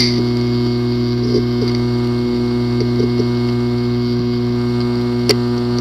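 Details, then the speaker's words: WD Scorpio Blue 2.5-inch SATA drive (WD5000BPVT, PCB 2060-771852-001) that no computer can access: steady low buzz with faint scattered ticks and no clean spin-up whir, from physically damaged heads/disk assembly. "The following is the sound from one of the hard drive which experienced disk assembly physical damage."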